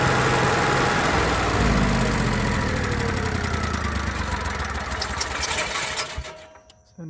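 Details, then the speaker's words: Onan Marquis Gold 5500 generator after carburetor cleaning and high/low mixture adjustment, no parts needed: it holds a steady, even drone with no surging or hunting before winding down; running perfectly. "can see we got a perfectly running good onan and with zero cost no parts at all just take it apart clean things adjust things make things and we're back on the road now you can too thanks for watching bye"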